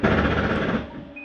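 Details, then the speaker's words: Jayco Eagle HT 24RE slide-out retracting: a brief rough grinding burst from the slide motor at full retraction, then fading, which is normal as the mechanism stops the slide from coming in too far. "i want you to hear that grinding noise because it's actually knotty grinding it's a slide mechanism keeping itself from coming in too far"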